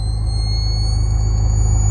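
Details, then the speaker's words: 2017 BMW M6 F13 with GT Haus Meisterschaft GTC exhaust and remote valve kit: a thin, steady high whine like a charging camera flash over the idle, audible inside the car. Electrical noise from the exhaust valve controller; fine when jumpered to the battery, relay planned. "that sounds like that high-pitched wine sounds like a camera flash you can hear it inside the car when you're driving"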